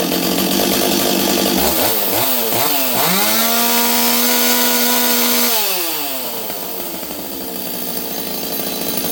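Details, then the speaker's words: Rebuilt STIHL 026 chainsaw that leaned out on first cut; owner suspects the carburetor, possibly fuel line: revs up in surges, holds a high scream, drops back, slightly uneven; still running rough, cause unconfirmed. "now I'm going to tell you guys what I did to make it run it's still not perfect something's up with this saw"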